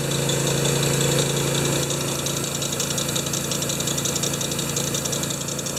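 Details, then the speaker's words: Honda-powered wheelbarrow air compressor No. 3, revived after sitting for years, started on choke. It idles unevenly because the carburetor doesn't idle well, under a steady high squeal the owner blames on a new V-belt with a possibly different profile. "But it's got two problems. The carburetor doesn't idle well, and I think that new belt I put on there has a different V or something in it because it really squeaks."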